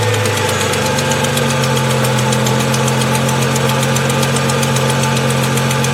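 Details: High-mileage 2002 Ford Mustang 3.8 V6, cold start before oil change and Liqui-Moly flush: fast light ticking over steady idle, fades after about 30 seconds; owner suspects exhaust manifold leak, possibly valves.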